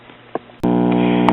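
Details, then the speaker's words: Recapped Silvertone tube radio chassis on its battery eliminator power supply: quiet, then a sudden steady low buzzing hum that holds constant; the cause of the hum is not yet found. "Here's the radio chassis. It's back on the power supply, humming like crazy."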